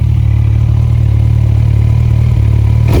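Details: Rebuilt 2012 Kawasaki Ninja ZX14R four-cylinder, warm, given a final hard rev: steady strong note with a faint light rattle under the exhaust, possibly a small exhaust leak.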